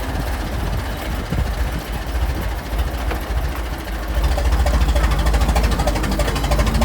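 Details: Restored 1921 American LaFrance fire engine (Licking County Fire Dept.), restoration finished, on a ride: deep, even engine beat swelling smoothly as revs rise halfway through, no knocks or misses; healthy normal running.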